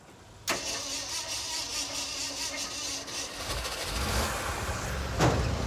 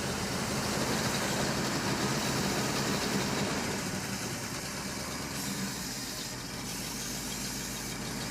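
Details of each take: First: Hard-starting truck V8 with its fuel pump running: it catches suddenly after cranking with starting fluid, runs roughish and uneven, then settles; cause not found yet. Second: V8 during diagnosis before vacuum-leak and compression tests: steady, even idle with a smooth low rumble and no misses, knocks or ticks. It sounds all right; shut off so it doesn't get too hot.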